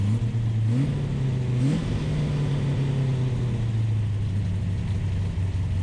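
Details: Ultima GTR with American V8, warmed to operating temperature with temp gauge misreading about 60 degrees: fast, steady drone with a couple of quick blips, never dropping to a low lope; idle set too high.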